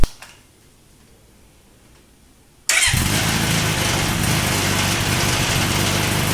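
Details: Honda CB900 Custom's first start after a suspension upgrade and refitting the exhaust, having fought a sticky carb float: starter catches and the engine fires into a steady, even idle with no misses or knocks; normal start-up and idle.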